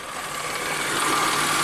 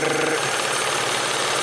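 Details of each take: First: 1994 Ford Probe V6 after opening the fully screwed-in throttle stop screw about three and a half turns to fix base idle: engine comes up from barely running and settles to a steady, even idle around 700 rpm with no hunting; normal idle. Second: 1994 Ford Probe V6 warming up at idle: loud, busy knocking rattle over the running engine; timing belt tensioner out of oil, seen through an inspection cover, needs a timing belt job.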